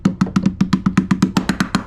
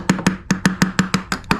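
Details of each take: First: Berger yacht, fiberglass threshold with plywood core beside a long-term water leak at the door frame, tapped to find voids: dull low hollow thuds, about seven taps a second, where the wood has rotted away under the screw holes. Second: Berger yacht fiberglass threshold near a long-term water leak, tapped during a void check: crisp, ringing taps about every fifth of a second with no dead thud, solid all the way up, in contrast to the rotted hollow section nearby.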